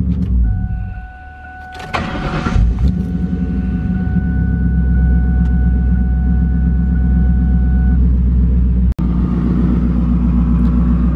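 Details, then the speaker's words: Project car "Turdzilla" on jack stands after fuel filter replacement for start and stalling problems: starter whirr, then a steady even low idle with no stumbling or hunting. No stalling, no fuel leaks. Normal start and idle. "the car does seem to be running really good we don't have any fuel leaks"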